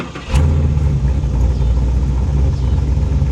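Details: Chevrolet Monte Carlo SS V8 after new transmission, idling about 750–800 rpm, about 1100 rpm in park with AC off, AC on; quick blip then deep loud burble with choppy lope; healthy engine with lumpy cam.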